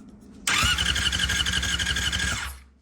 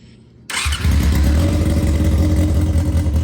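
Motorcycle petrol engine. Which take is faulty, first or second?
first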